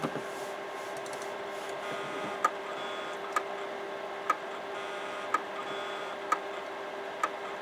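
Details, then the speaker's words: Imation LS-120 SuperDisk drive with a SuperDisk inserted: sharp ticks about once a second over a faint motor hum, repeating without settling. The head constantly recalibrates and the disk is never read. "It's not reading. Yeah, it's just constantly recalibrating."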